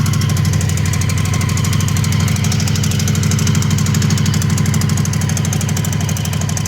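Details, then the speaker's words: Honda CB750 barn find, 65,000 miles, seized and left outside about a decade, at first start after neglect. Fast metallic rattle about three per second over an otherwise smooth, sewing-machine tickover; chain bouncing suspected earlier, source unconfirmed. "So apart from the rattle and the whole condition of the entire bike, I'm amazed at how smooth the bike is running at tick over. It is almost like a sewing machine."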